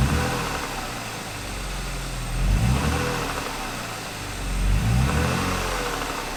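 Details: 1999 BMW E36 M3 on a lift, revived after years sitting, new fuel pump, running after oil change: smooth steady idle with two quick throttle blips that rise and settle cleanly; runs normally, no ticks or stumbles.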